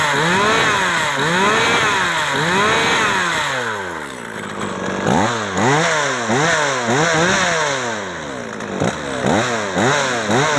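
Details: Old Japanese chainsaw after carburettor cleaning and reassembly with air filter and cover fitted: strong two-stroke buzz rising and falling cleanly with throttle blips, no stumble or bog; runs normally.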